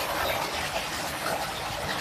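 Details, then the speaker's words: Modified water pump type J300 (RTPC 300), about 300 W, 2-inch suction and outlet pipes, suction about 6 m, on a pre-shipment test run: steady rush of flowing water over a smooth motor hum, no knocking or rattle; normal pump running. "Pompanya sudah aman dan juga sangat ramah lingkungan ya. Mesinnya tidak kasar sekali. Bisa kita kirim sekarang juga. Pompanya sudah normal."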